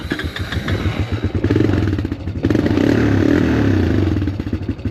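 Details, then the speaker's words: Honda Recon ATV revived after years sitting: single-cylinder thumping swells and sags unevenly under throttle, idles but struggles under load; owner suspects carburetor needs adjustment, not confirmed. "She's idling, but under load she's not happy. So, I may have to mess around with the carburetor a little bit and see if I can't adjust some stuff."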